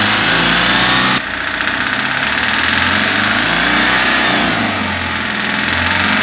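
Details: Mahindra Maxximo common-rail diesel after injectors were refitted, air bled and wiring taped: steady, even idle with a hissy top end, no knocks or hunting; running healthy.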